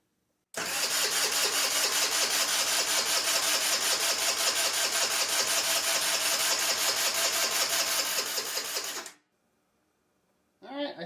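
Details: Qlink Axon 50cc scooter (possibly QY6 engine) with auto choke, probably sitting with old gas, previously no spark: cranks fast for about eight seconds but never starts; carb cleaning is planned next.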